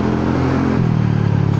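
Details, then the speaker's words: Honda Forza 300 scooter riding in traffic, engine hot, after the exhaust had turned loud: soft, low, even exhaust note rising a little with throttle, no rasp or blowing; the exhaust is back to its normal soft sound. "อันตรายอันตรายครับรถเยอะอย่าไปขี่อัดเลยกลับมาเสียงนุ่มเหมือนเดิม"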